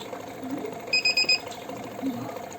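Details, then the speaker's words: Kent RO Grand Plus water purifier, filters fine, beeps on start because its one-year reset timing came due: four short high beeps over quiet hum while the reset button is pressed with a stick; clears after reset. "उसके बाद देखिए, ये sound अभी कुछ देर दे रहा है, उसके बाद ये ठीक हो जाएगा।"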